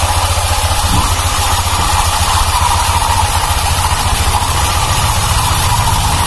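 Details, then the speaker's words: 2019 Honda Vario 150 scooter, fairly new: steady idle with uneven gravelly churn from the CVT belt drive, also noisy when pushed; loose rear CVT pulley clutch, its clip worn loose. "dampaknya kalau motor kita dorong itu bunyi Chosiyah bunyi Rocky tugas ya Terus kalau mesin kita hidupkan Hai suara mesin jadi kasar tewas ya lah ini ciri-ciri dari klaker puli belakang ya"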